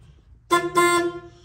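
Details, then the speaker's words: 1965 project vehicle horn, which had been blaring constantly; after wire tracing found nothing it fixed itself, and now gives a short, strong two-part honk with clear steady pitch, working normally. "I was tracing out wires and eventually uh I hate to say it but the darn thing fixed itself now the horn is working"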